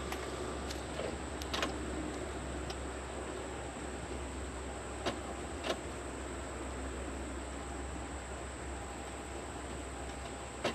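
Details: Lexus RX330 with a dead battery, jump box connected but not fully charged: turning the key gives only a few scattered clicks and a low hum over quiet background. The engine never cranks.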